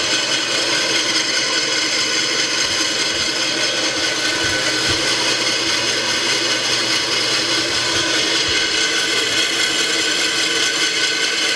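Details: Restored 1950s Atlas 10" band saw Model 9360, sat unused for years, test cut after cleanup and tune-up with a dust chute added to shield the motor: steady, even hiss of blade cutting wood, no knocks, thumps or ticking; runs smooth and healthy.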